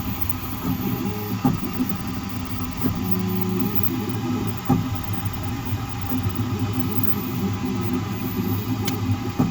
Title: Creality k1 max banging noise on z axis movement